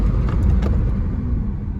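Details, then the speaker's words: 2007-2011 Honda CR-V after front brake pad replacement, old pads squealing before being fully worn: only low road rumble and tyre noise while slowing, no squeal or scraping; brake noise gone. "没有了，没有摩擦的声音了。"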